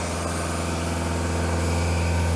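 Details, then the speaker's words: Sky Trak diesel listed inoperable, after cold start and warm-up; deep, steady idle with even low rumble, no knocks or misses; took a while to come up to temperature before idling down; normal idle. "well there we go it's idling down for us nice so it took a little while probably had to come up the temperature but now it's idled down"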